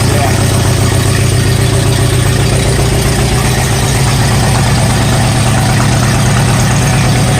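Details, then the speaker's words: 1959 Allis-Chalmers D-17 tractor after rewiring, oil pressure normal: steady, even low chug at idle with no knocks or misses. Normal idle. "well I'm glad to see we're in the normal for oil pressures that's really good that's that almost an idol"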